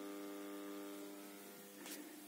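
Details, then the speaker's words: Newly bought PC system unit with speakers connected, before grounding is attached: steady low electrical mains hum with buzzy overtones in the speakers, absent when the speakers are connected to other computers. "сейчас он выключится и я уже слышу тот страшный гул так слышите"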